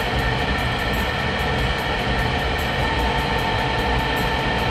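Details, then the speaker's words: Rheem water heater vent blower: starts up fine, then after about a minute a steady whir gains faint rhythmic ticking about five times a second as the worn motor bearing noise ramps up, before preemptive replacement. "listen for the transition the bearing noise is about to ramp up"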